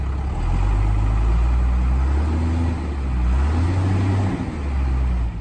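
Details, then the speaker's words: 1993 Dodge Ram 350 ramp truck, 12-valve Cummins diesel, 5-speed manual: deep steady diesel rumble holding an even idle after jump-charging and bleeding the injectors; started quickly and runs well. "Oh guys, she's running. She started up after I got her hooked up to the charger and used the engine boost. And actually started up pretty quickly after I bled all the injectors on the side there. Looks like it's running pretty good."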